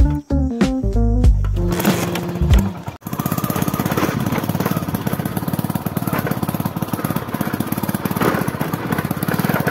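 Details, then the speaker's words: Motorcycle in cool morning weather gives a loud, rapid, regular Bullet-like phut-phut beat over the engine; the silencer underneath is cracked and leaking exhaust. "हे आवाज ऐकू आला का bullet सारखा फड फड फड फडा हे कशामुळे झालं इथं खाली सायलेन्सरला सायलेन्सर थोडं फुटलंय म्हणजे सायलेन्सर ते वेड सोडलंय म्हणून त्या फडफड फडफड आवाज कळालेत"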